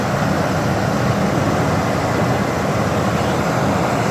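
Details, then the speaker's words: 1979 Cadillac Coupe DeVille V8, about 56,500 original miles; deep, steady, even idle with no misses, knocks or ticks; running healthy. "it starts right up runs great idle smooth it's a good running car"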